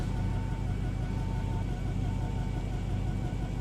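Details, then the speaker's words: Chevrolet Camaro SS V8, a former non-runner, idling with a deep exhaust rumble and an uneven, stumbling misfire beat that cannot be felt inside the car; the temperature gauge reads overheating from start-up. "he's got a misfire you can hear it that's crazy because inside you can't really feel it"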